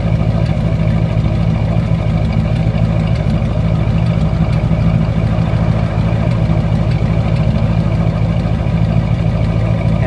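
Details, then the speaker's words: Warm V8 Buick after a drive, idling: uneven, lumpy beat of about three pulses a second with a heavy low rumble, right side sounding off and the door visibly shaking; rough idle, pointing to a misfire. "you can tell the right side [Music] sounds a little sub to it but it otherwise runs and you know gets around maybe you could see the door shake"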